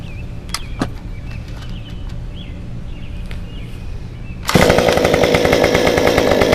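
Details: Modified Stihl 193T (muffler mod, ~8–9° timing advance fixed former stalling and hot high idle, 93 non-E fuel) hot restart about 5 minutes after shutdown outdoors: fires at once, crisp steady even buzz, no stumbling; running normally.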